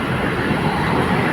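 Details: Toyota Hilux idling after alternator pulley and timing belt replacement: steady, even diesel idle with a smooth low rumble, no ticking, squealing or knocking. Before the repair it was very loud, "like a helicopter," with the T-belt light on; the light is now off and the engine is quiet.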